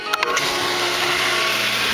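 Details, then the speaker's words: Old Aero-motor centrifugal pump on a shallow well, primed after over a year unused, switched on by new timer and relay: brief clatter at switch-on, then steady even hum with water rushing; normal pump run. "pump's running I've got a pipe sticking out temporarily just to channel the water off to the side and this is the water we're getting out out of the well"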